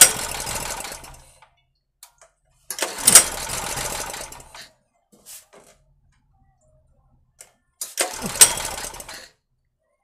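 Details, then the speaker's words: 2.5 kW Ress petrol generator after long storage, with a new carburetor fitted: three pull bursts each giving a brief rough sneeze that dies straight away; it sputters but won't run, as the rod and its spring weren't checked when the carburetor was refitted. "Почему он не завелся, я сейчас объясню. Потому что, когда я его прикручивал , я не проверил стержень, а следовало бы, чтобы там была просто зацеплена пружина."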